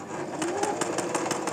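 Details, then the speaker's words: Singer sewing machine running with a quick, even clatter of about six beats a second and a rough, catching edge, caused by thread tangled and jammed in the bobbin case from running it needlessly. "आपको दिखाऊंगी कि इसमें जो धागा होता है वह बिलावजह चलाने के वजह से इधर-उधर धागा है वह अटक जाता है जो कि हमारी बहुत बड़ी मिस्टेक होती है यह देखिए यह आवाज भी चीज है"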